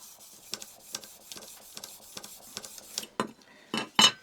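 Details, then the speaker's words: Plane blade being flattened on a diamond sharpening plate at 1200 grit; hissy scraping with small sharp clicks about twice a second from stray grit, probably from sandpaper. "I don't know if you can hear that little clicking sound. That tells me I've got a little bit of some indiscrepancy grit on here. Picked up probably a little bit of grit from the sandpaper."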